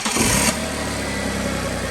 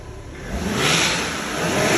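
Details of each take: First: Audi after welding exhaust and flex pipes: engine catches and settles into steady idle with faint puffing hiss over the exhaust note; small exhaust leaks on top at the welds; power steering also sounded unhappy. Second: Audi after dropping subframe and swapping fuel tank: revs up and settles twice with smooth muted exhaust, no puffing or ticking, very quiet now; normal exhaust note.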